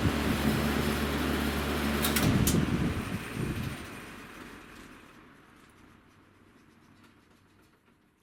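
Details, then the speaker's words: Vintage Breezemaker box fan spinning down: a rhythmic wobbling thump about four times a second over the motor hum; blade badly out of balance, low speed not working, motor sounds okay, fan kept for parts. "from being super out of balance, the motor doesn't sound terrible, which I figure we could use this for parts."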